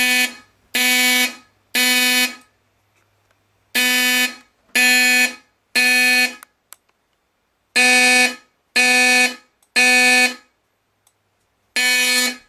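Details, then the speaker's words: Fire alarm system test, code three triggered by drill button wired to skip verification and two-stage: loud horn blasts in groups of three with pauses between groups; normal code-three evacuation pattern. "turn off walk test and we'll do code three by the drill button which I have specially wired to skip over verification and two-stage"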